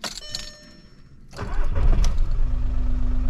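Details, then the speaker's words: VW Polo 1.4 TDI three-cylinder diesel after an upgrade to 1.9 injectors: a quick crank and catch, then a low steady idle that runs clean, sounding very good. "Trei cilindri, vă dați seama. S-aude super frumos, să știți."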